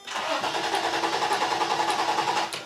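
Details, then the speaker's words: 1990/1991 Toyota 4Runner that sat nearly 10 years: steady starter whir turning the engine over evenly for a few seconds without catching; engine not seized, seems to build compression, spark present, starter likely fine. "all right so did you hear the clicky click yeah that's you definitely have spark yeah oh that sounded better too we didn't just get the starter click right so maybe the starter's not bad"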